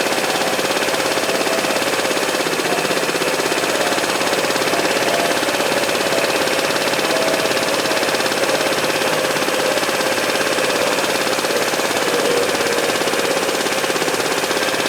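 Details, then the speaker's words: 2012 Piaggio Typhoon 125cc scooter after carburetor float setting, idle mixture screw being adjusted for highest RPM: small engine ticking over at a steady, even idle with no hunting or stutter; normal idle, mixture sounds right. "I think that sounds pretty good. Yeah, come out the full 2 turns, slowly turn it in. Starts to stutter a little bit."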